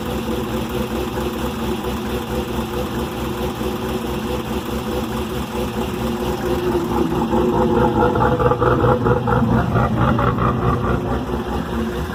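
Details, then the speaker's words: 2001 Chevrolet Camaro SS on a cold start and first drive after a new heads-and-cam install: loud choppy exhaust pulses about two per second swelling with revs; owner suspects major exhaust leaks plus other noises; loud uneven exhaust noise. "promise is not acting right i'm not sure what's going on i think she has some major exhaust leaks and some funny noises still"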